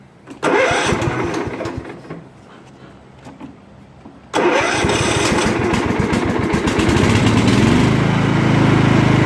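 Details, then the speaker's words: Scotts lawn tractor after repairs, started before the blades are engaged: it catches quickly, dips, then runs steady and even with no surging or popping. Normal running. "Sounds good. No surging, no popping."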